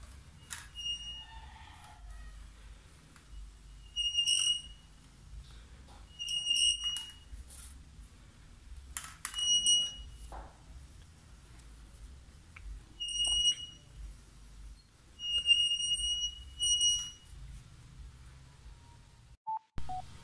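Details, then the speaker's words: Italika motorcycle front wheel turning: sharp, high-pitched squeals in repeated bursts; owner suspects glazed brake pads, to be cleaned and sanded. "les voy a enseñar el ruido molesto que hace la moto que yo pienso que son mis maletas que ya están cristalizadas"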